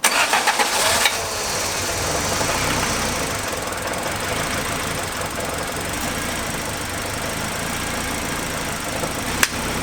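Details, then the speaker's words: Turbo Honda EG Civic (B18B1) just after a valve adjustment and camshaft fix for a lifter tick, on start-up before warming: a light, uneven knock that sounded like rod knock is the intercooler hitting the frame. "I thought I just heard rod knock, which freaked me out, but I found out it was just the intercooler was knocking against the frame."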